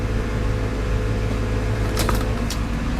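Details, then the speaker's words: 1965 Mustang external electric fuel pump after insulator mounting: only a faint even hum under steady engine running, no buzz or whine, much quieter than before; normal fuel pump hum. "you can still hear the little bit of a hum but that's perfectly fine actually I'd prefer that"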